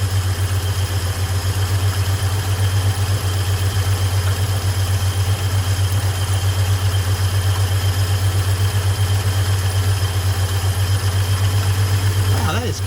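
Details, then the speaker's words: 1978 Chevy C10 with straight six and automatic transmission, warmed up: even, steady low rumble at idle with no misses, knocks or ticks. Belts noted a little loose. Normal warm idle. "And yeah, it's running pretty smooth."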